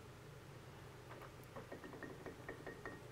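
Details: Main gear box of a machine under disassembly, with a key and set screw previously worked over: bright metallic pings ring out in quick bursts, several a second. This is the bell-like ring of worn parts between the clutch spiders.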